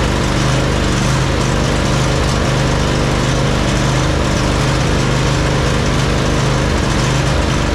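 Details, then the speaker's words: John Deere 145 riding mower, Briggs and Stratton V-twin after running low on oil: loud uneven lumpy running, always rich regardless of carb adjustment; worn cam lobes from oil starvation. "tarted up, you can hear the way it's running, and it's a common symptom of worn cam loes from from running low on oil. It'll never run right."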